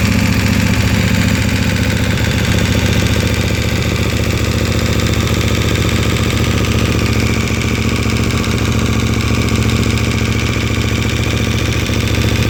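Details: KTM 1290 twin cold idle, noise since 10,000 km, gone once oil reaches 70°C: fast, fairly even metallic ticking over the exhaust thump; mechanical rattle of unknown origin.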